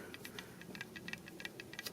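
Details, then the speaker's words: Removed power steering pump from a 1999 Toyota Corolla turned by hand: rough, uneven clicking and grinding/scraping from internal wear; being replaced with a new pump. "So that's the old one. Holy cow, look at, you can hear"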